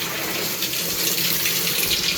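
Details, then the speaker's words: Washing machine that only hummed, after tapping the inlet fill valve and knocking debris out (possibly plugged): strong steady rush of water into tub, flowing much faster than before; normal water fill. "wow it's flying in there now it actually has not been flying in there like that"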